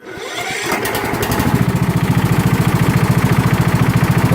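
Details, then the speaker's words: Toro LX420 lawn tractor engine cranks, catches and runs evenly with no metallic pinging, after the deck belt was replaced and a loose guide pin was reseated. "All right, let's start it up and see if we got rid of that pinging sound."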